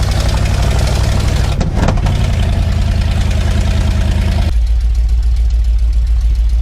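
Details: 1979 Ford F350 one-ton V8 running after about 15 years parked in a field, with the carburetor rebuilt, oil pressure, brakes and power steering working. Steady, deep V8 burble holding an even idle with no misses or knocks.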